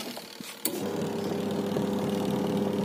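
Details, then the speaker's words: Sharp two-tub manual washing machine after repair of a wash section that would not run (spin worked): wash motor clicks on, steady even hum with soft churning, reversing direction after each pause; normal wash agitation. "perhatikan perputarannya ya setelah jeda itu harus kembali atau terbalik parahnya harus berlawanan ini sudah normal ini kita perhatikan"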